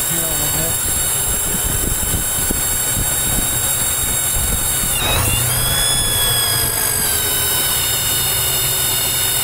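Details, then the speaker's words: 1995 Chevy S10 with TBI idling at operating temperature: steady high-pitched whistle over the idle that goes away when the accelerator is pressed and returns; appears only once warm; vacuum leak caused by a bad TBI base gasket. "hear that high-pitched squeal goes away whenever I push the accelerator now it comes back"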